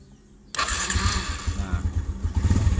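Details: Honda Revo Absolute / Blade carburetted motorcycle starter motor during starter wiring and relay check; sudden whir with low rhythmic pulsing as engine turns over; starter spinning engine normally.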